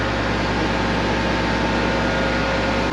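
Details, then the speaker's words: Combine idling after a winter start and left to run about five minutes: a steady, even low drone with a constant fan hiss and no knocks or speed changes; running healthy at idle. "That's great. It sounds so great. I'm excited for this summer. This is going to be great."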